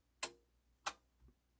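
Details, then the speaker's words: Pioneer PL-560 turntable, cut pressed on the mechanical switches: two crisp clicks about two-thirds of a second apart, then a soft thump as the tonearm returns fully to its rest; normal auto-return. "There we go, all the way back to its resting spot. Beautiful."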